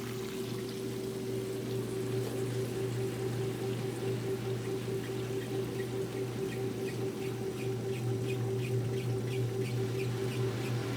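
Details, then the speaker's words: Fill hoses for the Kenmore washers rubbing together behind the machines, making a light repeating squeak about every second over a steady spin hum; not a machine fault. "I know you can hear that squeaking, but that's the fill hose back there rubbing together."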